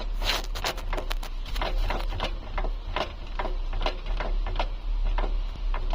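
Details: Volkswagen Polo liftback, right long driveshaft: sharp dry clicks roughly twice a second as the wheel is rocked by hand, a loose knock in the driveline, seemingly with movement at the gearbox. Cause suspected, not confirmed.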